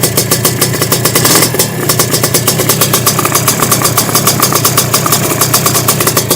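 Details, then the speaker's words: Sledgehammer 333 two-stroke, first start on second kick, on Castrol Power One at 3% premix: pops along at a low, loping idle that stumbles now and then; owner avoids throttle fearing flooding, suspects it may already be flooded; needs more throttle; low idle. "I don't really want to give it any any throttle because I don't want to flood it. It might already be flooded to be honest."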